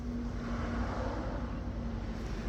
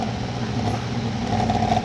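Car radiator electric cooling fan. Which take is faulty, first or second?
second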